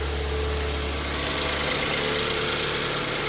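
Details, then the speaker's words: 2008 BMW E90 318 after replacing faulty fuel injector with used one, just started cold with slightly high idle; steady idle hum under strong hiss, no stumble or misfire, running very smoothly: normal idle. "but it's running smooth very smooth actually so I'm actually quite happy with that"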